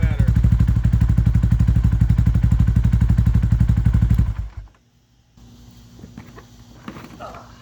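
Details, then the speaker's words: Yamaha Warrior 350 single after repair, with missing intake adjuster bolt refitted and valves adjusted: even, steady thumping about four beats a second, no ticking or misses, then shut off; healthy idle. "yeah say we got a fixture sounding good running pretty good i'm pretty satisfied in that"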